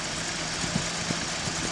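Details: 1981 Datsun 280ZX, which had power loss and rough idle, idling after new fuel injectors and service: constant airy hiss over the low engine beat from an uncapped vacuum port that needs plugging; vacuum leak hiss at idle.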